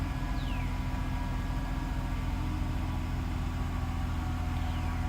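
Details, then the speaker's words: Mercedes SL600 V12 just started after mass airflow sensor wiring repair (needed extra power to start): low even rumble, steady rpm with no jumping or hunting; normal idle. "engine runs pretty nice I don't know if you can hear it steady the RPMs are not jumping up"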